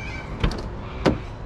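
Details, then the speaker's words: BMW E93 335i convertible, DCT donor car, hardtop raising back up: quiet motor hum with two soft clean clunks as panels latch, no grinding or strain; mechanism very nice. Normal convertible roof operation. "will it go back up hey there we go and that mechanism is very nice"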